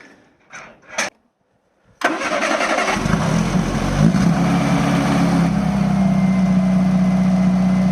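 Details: Classic car just pulled from a lock-up, freshly given new oil and filter, with freed-off brakes and the clutch slave refitted: it catches on the first crank after two seconds and settles into a smooth, even idle with a steady low hum. Normal start.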